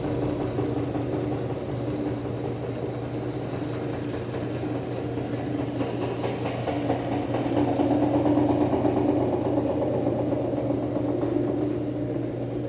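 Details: Brastemp BWL 09 washing machine on spin cycle: steady drone with an uneven rumbling thump as the drum whirls; worn tub suspension knocking.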